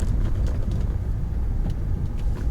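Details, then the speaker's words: Peugeot 406 V6 after exhaust replacement, deep heavy rumble with a constant boomy drone and vibration felt around 2,000–3,000 rpm; exhaust drone, cause suspected, not confirmed, weak rear shock absorbers also suspected. "I kind of like the sound that it does at that 2,000 to 3,000 RPM which is actually the vibration that is making that sound"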